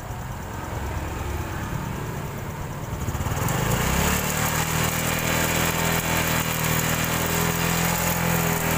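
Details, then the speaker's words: Honda Supra X 125 new fuel-injected motorcycle: idle is smooth, but at about 3000 rpm a gritty rattle like gravel mixed with sand starts on the left (magneto) side. Cam chain rattle from a slack chain and weak tensioner. "tapi pada saat ketika buka gas sekitar di 3000 RPM itu langsung berbunyi seperti ada kerikil-keril bercampur pasir ya di bagian kiri atau di bagian magnet"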